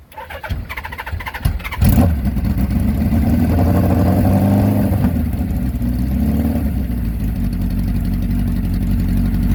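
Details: 1982 Suzuki GS850 shaft-drive motorcycle, after repairing a rear wheel hub drive spline that had ground down. The engine catches after a few cranking bursts and settles into a steady, even idle. Normal running.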